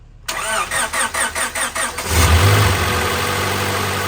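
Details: 2000 Honda Civic Si (EM1) B16A after a head gasket, LMA, valve stem, valve spring and retainer rebuild with valve lash adjusted: starter churns about six quick beats, then it catches cleanly and settles into a smooth, steady idle.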